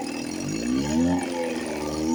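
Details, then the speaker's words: 1954 Johnson 5.5 hp two-stroke outboard revived after about 60 years, with magneto reinstalled, carburetor rebuilt and a heavy oil mix, cover off. Steady buzzing idle, pitch drifting up, no misses or knocks. Normal idle. "But I always come back and I get control of myself and I get them going. This one sounds really good."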